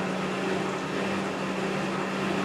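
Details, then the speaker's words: Top-load washer (replacement for a failed Whirlpool) in its rinse stage, spinning slowly while spraying water on the clothes after draining: an even, low motor drone with no thumps or scraping. A normal slow rinse spin. "So, it spins at a somewhat slower speed and it sprays water on the clothes."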